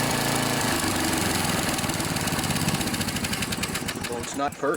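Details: Snapper SR1028 riding mower, Briggs & Stratton flathead single, during carb mixture screw adjustment (turned in under a quarter turn): chugs about four beats a second, ragged firing sagging unevenly; still not running right.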